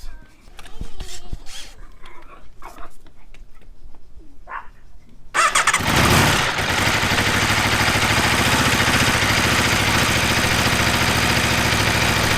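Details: 2015–2017 Aprilia RSV4 at first service oil change: handling noise, then the engine fires at about five seconds and settles into a steady, even idle with no knocks; healthy; oil pressure warning shows briefly at startup.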